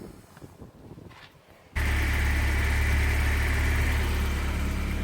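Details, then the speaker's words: BMW E30 318iS that sometimes struggled to start, after fixing several vacuum leaks and replacing a badly cracked purge line: the engine catches and settles into a steady, even idle with no hunting or hiss. Normal idle. "put it back in really nice and tight and it seems to be running heat better"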